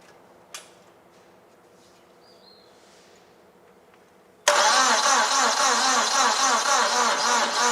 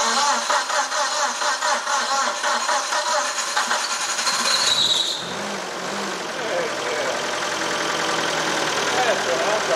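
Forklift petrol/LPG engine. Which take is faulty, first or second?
first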